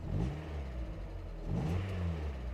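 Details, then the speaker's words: Mazda Miata not yet fully warm, after cleaning debris blocking the throttle body: two quick throttle blips rise sharply and fall cleanly back to a smooth idle. Crisp, normal throttle response. "and this is a completely different car than before this this is completely different so I attribute that to cleaning up all the crap that was blocking the uh throttle body this is this is awesome"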